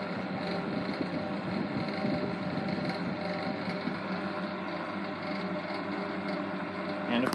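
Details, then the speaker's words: 1960s Eskimo model 2012 12" box fan on medium speed: a steady hum with a light, constant rattle from shaft end play. Spacers still need adding to the shaft; on high speed it is silent. "on medium and low it rattles a little bit because uh I need to add some spacers onto the shaft um and I'm just too lazy to take it apart again"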